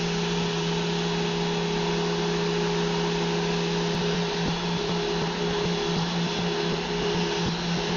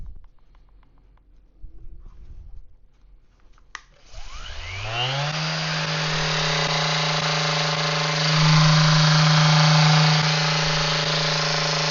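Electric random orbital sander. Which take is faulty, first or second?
second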